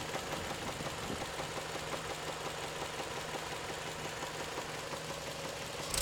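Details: Toyota 3S-FE engine at warm idle, knock appearing after warm-up: hard, uneven knock coming and going over the engine note; source unclear.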